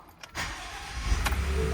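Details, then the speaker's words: 2020 Ford F-150 no-crank, no-power complaint, starting after the battery was boosted: brief crank catches quickly and settles into an even low idle with no stumble or clicking; normal engine start. "all right let's go ahead and try to start it so you can see all the power is on there we go"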